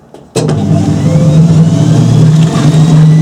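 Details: Hoover Spinarinse 3012A spin dryer from December 1968, one more spin after drain hose repair with silicone sealant: motor kicks in and settles into a steady low hum without knocks, rattles or wobble; running smoothly.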